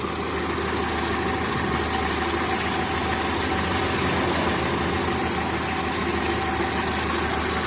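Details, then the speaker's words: Daihatsu Zebra Espass idling after distributor sealed against rain: uneven, lumpy idle with irregular shaking beats under a steady drone; roughness from a faulty distributor centrifugal advance. "nih mobil sudah hidup kedengaran suara mesinnya yang agak kasar itu dari sentrifugal yang gidelk ini"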